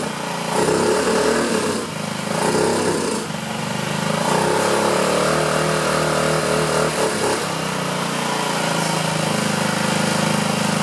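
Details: 2009 Honda Metropolitan scooter with a suspected clogged carburetor, carb cleaner sprayed into the air intake. Revs unevenly, surging and sagging under throttle, then smooths somewhat: rough running, fuel delivery problem suspected, not confirmed.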